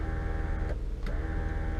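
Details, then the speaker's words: 2000 Honda Accord EX power window: steady electric motor whir inside the door with no load change while the glass doesn't move; window possibly off track or regulator broken; regulator replaced. "you can hear that the window motor still works. So it could possibly just be off track, unless the window regulator is broken."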